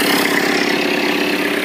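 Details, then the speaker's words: 1985 Toyota 4Runner with an imported 2.8L 3L diesel (about 60,000 miles, DTS turbo kit at ~5 psi, compression high): steady, even diesel idle clatter with the electric fan whirring, no knocks or misses. Strong, normal idle. "I had another mechanic friend of mine do that, so definitely a strong running engine."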